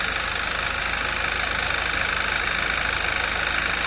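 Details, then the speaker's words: 2011 Audi TT Quattro 2.0T TFSI, just fired up for the first time after engine-damage repair, on a chilly day: a steady idle with quick light clicking. Owner suspects valvetrain noise from lifters not yet filled with oil, which should quieten. "it's a little clicky, but I also am not that familiar with how these motors are supposed to sound. That just seems like valve tray noise to me."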